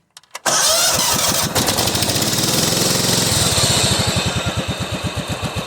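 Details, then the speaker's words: Cub Cadet 2130 garden tractor after fuel pump, carburetor rebuild, choke linkage and brake-switch wiring repairs, cold start at about 35°F on half choke, in neutral: catches at once, even steady chuffing, no oil burning, slight transmission whine; normal cold start. "listen to it listen to it doesn't burn any oil sounds great got in neutral right now so forward pedal is completely engaged"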